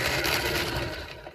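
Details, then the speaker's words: Singer 201P sewing machine rescued from the dump, cleaned but not yet oiled, running; dry rattly clatter fading as it slows, suspected to need oiling; thread tension also far too tight. "I started firing it up and it goes like this sounds terrible in the heads sounds terrible in here let trying it's little hot out it just sounds awful I think it needs a fair bit of oil in here"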